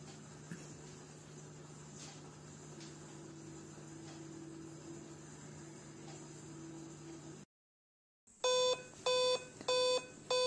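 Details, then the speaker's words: Dell laptop at power-on with adapter connected, LED blinking white to yellow: after a quiet hum, five evenly spaced mid-pitched beeps, an error code alongside a "Time-of-day not set" message. "then you can also hear the five time beeping sound which is the another problem"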